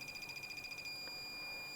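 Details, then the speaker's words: Phone board power line checked with a multimeter in diode/continuity mode, one probe on ground: high-pitched beep stutters then holds solid, showing the line and its connected components near the power IC and coil shorted to ground; faulty handset. "देखो, यहां भी beep की आवाज आ रही है। यह पंक्ति छोटी है। ठीक है? यह हैंडसेट खराब है। यदि आपको ऐसी स्थिति दिखाई देती है, तो इसका मतलब है कि आपके हैंडसेट में शॉर्ट सर्किट हो गया है।"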